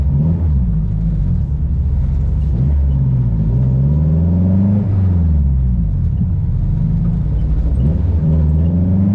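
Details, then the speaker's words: Turbo H2B-swapped Honda Civic EG cruising on the freeway after a loose spade terminal was found in the distributor: deep, steady drone through the gears with no stumble; the earlier sputtering misfire seems gone. "so far it sounds good uh it was like sputtering pretty nasty earlier but it seems to be good so far"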